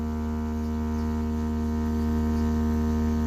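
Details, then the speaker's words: 2015 Chevrolet Silverado 2500HD with driver assist system fault B172E, scan-tool active test of the driver's seat cushion right rear haptic motor: steady, even vibrating buzz with no rattle or dropout, normal operation. The left rear motor does not respond. "If I go to the driver's seat cushion right rear movement, I turn it on, hit enable, I can feel it and hear it vibrating."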